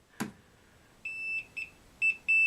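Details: Voltage tester chirps short then sustained as the probe touches a wire known to have power, checked before removing an old smoke detector for a Nest Protect install; tester works and the wire is live.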